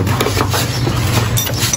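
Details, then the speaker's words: Motorcycle with a worn, stretched drive chain fitted for demonstration: steady low drone with loose clinking and rattling as the slack chain slaps the sprocket; this chain noise is often mistaken for bad wheel bearings, and a new chain fixes it. "É esse barulho que faz aqui, que muitas vezes as pessoas ficam trocando rolamento à toa. No entanto, é isso aqui, tá, pessoal?"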